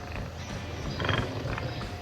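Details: New Power Driver pedal drive making a loud rough growling roar that swells with each push, from bevel gear teeth interfering at their tips; lightly grinding the teeth removed about 80% of the noise.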